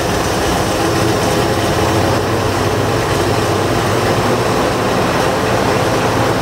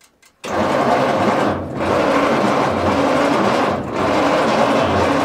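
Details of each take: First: 1940s Bay City Model 30 crane/dragline engine after a decade unused, just revived: heavy loud steady low rumble without misses or knocking; 40 psi oil pressure, oil poured in coming out of exhaust. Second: 1940s Bay City Model 30 cable crane/dragline engine, unused over a decade: laboured slow starter drone dipping each revolution, not firing; 6-volt system won't turn it fast enough, starting fluid suggested.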